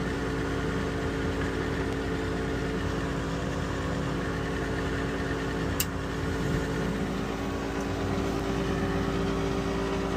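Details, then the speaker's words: Weil-McLain HE boiler (integrated control 1013-200) just after ignition on call for heat: steady droning draft inducer blower hum with a rough, tired edge and faint whine; technician says the fan sounds tired, suspects it is worn. "This fan sounds tired, man. I gotta tell you."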